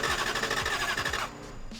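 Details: Lexus LS400 that randomly stopped starting, tested with the fuel pump disconnected. Steady starter churn of about three pulses a second with no firing at all. No spark because the igniter connectors were left unplugged.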